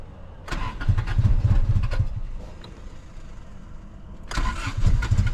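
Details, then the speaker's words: Honda Civic sat about 10 years, brake cleaner sprayed in intake: two bursts of even cranking, never catches; fuel pump dead and tank likely gummed, inline pump later bought. "so yeah pretty much the the fuel pump is dead the probably the fuel tank is just gummed up with with nastiness"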